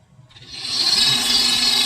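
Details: Dolphin S 300i pool robot with a guitar pick wedged in as a temporary fix for a slipping drive while the replacement gear is on back order: thin, high motor whine rising and holding steady with no clicking or skipping; the drive turns normally.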